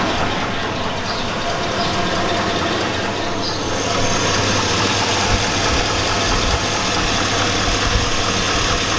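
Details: 2002 Chevy Avalanche 5.3L V8. The engine runs with a rough, uneven metallic clanking under a steady drone, about four hits a second. The owner says it sounds like rod knock, suggesting a spun rod bearing.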